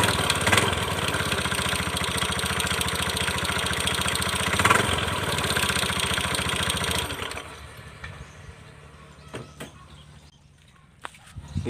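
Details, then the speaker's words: Honda Beat FI scooter running with a fast, uneven clacking ("kletek-kletek"), then the engine shuts off; mechanic suspects the final drive (gardan) and CVT, before disassembly. "teman-teman sepertinya permasalahannya ada di bagian gardan enggak dan CVT"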